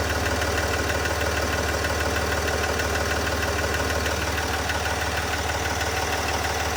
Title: ticking noise sdv6